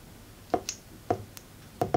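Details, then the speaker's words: Turbo solenoid valve on a 12 V 7 A battery, hot after 20 minutes connected: crisp single clicks each time current is connected or cut, four in about two seconds; the valve switches normally. "you know you have to hear a noise when connecting and disconnecting the electric current"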